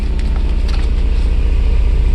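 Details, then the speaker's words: 1994 Mercedes SL600 with ASR, SRS and check-engine lights, low RPM, exhaust smelling very rich: loud, low, lumpy exhaust pulses at a slow idle. Rough running, as if cylinders are dropping out; cause unconfirmed. "Yeah, sounds pretty damn bad. Smells very, very rich, so not cool."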